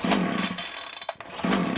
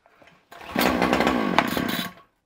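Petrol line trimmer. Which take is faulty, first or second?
first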